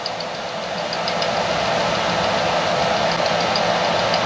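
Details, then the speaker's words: Anycubic Kobra 2 Neo 3D printer extruder, filament being retracted after a pin was pushed through the nozzle: light, fairly regular clicking knocks, about three a second, over a steady extruder hiss; owner suspects a badly clogged nozzle, unconfirmed. "so you can hear some knocking sound I think the Noz is really clocked"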